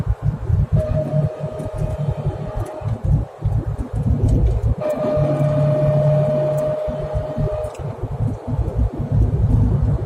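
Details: Chevrolet Corvette C6 with 6-speed manual: thin steady whine rises over the engine under acceleration for a few seconds and fades off load; owner suspects the differential, unconfirmed.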